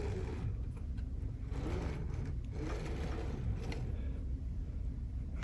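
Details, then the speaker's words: Voron 0.1 3D printer linear rail after adjustment: soft, even motor hum with smooth carriage travel and no scraping. The earlier grinding came from an off-center rail, fixed by loosening screws, shifting the rail and retightening. "Okay, so I did a little adjustment. Now you can hear everything is nice and clean."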